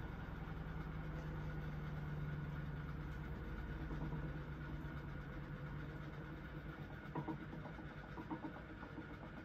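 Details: QFlow 2.5kg compact RV/caravan/boat washer, spin stepping from about 500, then 400 or 300, up to 700 rpm; low, smooth hum holding steady pitch as the drum spins up, no knocking or grinding; normal quiet spin cycle.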